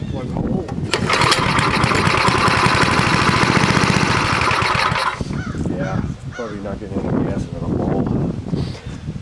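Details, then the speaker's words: Vintage snowblower small single-cylinder engine (from an elderly mechanic's fleet) catches and settles into a steady, even drone with no misses or knocks, then winds down; a good running engine. "that's a good site that's a good running engine you can hear"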